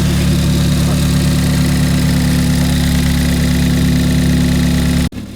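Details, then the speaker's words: Ford Fiesta ST after rebuild with Direnza tubular manifold and RT330 hybrid turbo, first start: steady, even idle with smooth low hum, no misses or knocks until shut off; running smooth, though engine light on, owner suspects burnt-out O2 sensor. "From the looks of it and the sound of it, she's running pretty smooth. Very gassed."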